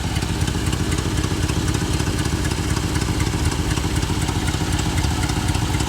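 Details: 1988 Chevrolet Suburban 2500 with a V8 (believed 5.7 L), started after 6 years of storage: steady idle with a quick tick about four per second, sounding like an exhaust manifold leak (suspected, not confirmed). A knock is felt when revving.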